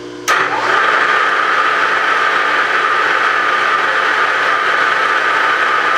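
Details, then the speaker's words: Bridgeport J-head mill on 3-phase after repairing a locked spindle sheave and fitting a new belt: click at switch-on, spindle spins up to a smooth, steady mid-pitched whine, no knocks or rubbing; brake works, running normally. "brake works looks like everything's functioning"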